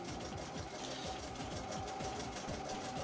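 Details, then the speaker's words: Machine being test-run before return to customer: quick, steady chattering rhythm about two beats a second, even and unbroken, faint voices behind; machine running normally. "you can you should be able to hear that machine chugging away there"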